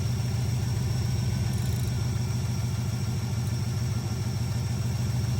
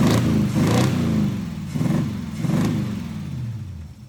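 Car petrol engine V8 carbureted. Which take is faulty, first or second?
first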